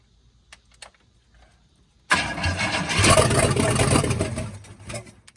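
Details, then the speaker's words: 1966 Cadillac Eldorado V8 that sat about 40 years, run with no exhaust fitted: after a pause it cranks, fires and runs rough but steady for a few seconds, then shuts down. Lifter and lower-end noise are masked; transmission fluid is pumping out underneath. "It's good when it has no exhaust. You can't hear all the lifter noise or any of the lower end noise. So Yeah. Very promising. Yeah. Very, very promising."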